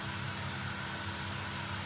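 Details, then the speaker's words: Potterton Performa boiler after unblocking a sludged plate heat exchanger (flow pipe had been heating when hot tap ran; diverter valve not at fault): steady low hum and soft rush, pump quiet, no kettling; fixed. "that's all good pumps quiet and down so this is all fixed"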